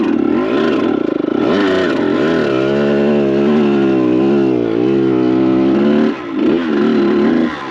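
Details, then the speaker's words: Kawasaki KX100 with small paddle tire in sand: revs rise and sag unevenly, never pulling cleanly, flat blubbery bog at full throttle; rider suspects the carb, small tire or tire pressure. "I should have just bought a paddle tire for that big bike. Or got this carb running better. I didn't think it'd be this bad. It sounds like shiitake."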